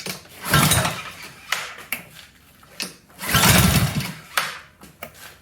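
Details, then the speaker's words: Honda GCV160 pressure washer engine after new carburetor, fresh fuel and gaskets: surges and dies back in uneven bursts instead of holding speed; governor spring fell off while the plate was loose, so speed control is lost. "Well, there's the problem. The governor spring has fallen off the bottom there."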